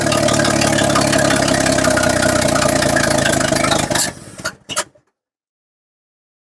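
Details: Chevrolet C10 step-side (stated as 1963 and 1964), long sitting with an empty tank, fuel only just drawn up into the filter: it runs rough for about four seconds, then sputters and cuts out, as if starved of fuel.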